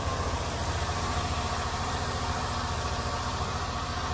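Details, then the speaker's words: Rover V8 with new camshaft and hydraulic lifters, after fixing tappet ticking by checking lifter preload, running at 1500 rpm: even, steady beat with no top-end tapping; a little lubricant burning off the exhaust. "running quite sweet just a little bit of lubrication and stuff burning off the exhaust nothing really that serious running 1500 rpm"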